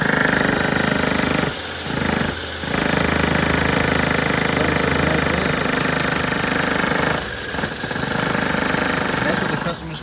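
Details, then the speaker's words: 2014 Toyota Corolla at idle, shifted into reverse: loud fast metallic rattle in bursts that shakes the whole car and sounds like engine knock; worn engine mount rubber letting metal hit metal, mount being replaced. "about a loud rattling noise so let's go ahead and change that mount real quick see if that solves our problem"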